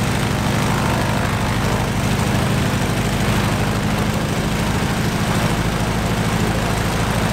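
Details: Stinson L-1 radial engine with duplex magneto, after an overhauled magneto was fitted to cure a dead left mag, started right up and runs with a deep, even thrum and steady firing pulses; normal running.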